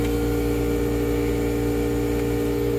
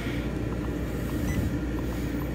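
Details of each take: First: Old Marine Air HVAC unit on a Silverton 34 Convertible boat, which had burned up wiring three times, heard before replacement with a Webasto 16k BTU unit. Loud, steady, unchanging humming drone; noisy, worn running. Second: Silverton 34 boat with a new Webasto FCF Platinum 16k BTU reverse-cycle marine AC replacing a late-80s or early-90s Marine Air unit. On low fan it is very quiet, with a soft steady compressor hum and faint fan hiss while cooling toward 65°F. Normal cooling.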